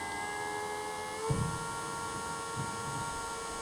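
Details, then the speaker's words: Old 12 V bilge pump motor on a bench supply drawing just over half an amp, about 7 W, tested to power a scale model: steady high electric whine with a few bench knocks, spinning smoothly and healthy. "Sounds good. Like it's still working and everything."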